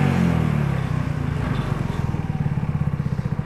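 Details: Trail Master 150cc go-kart engine after carburetor replacement and idle mixture set, warm: a quick rev falls back to an even, steady single-cylinder idle with clean, regular pops and no stumble or miss.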